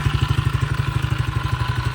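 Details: Tao Tao 110 ATV, water and mud found in it, battery dead, leaking fuel: loud, fast, even clacking on every firing pulse over a lumpy idle, something knocking hard inside the engine; cause not confirmed.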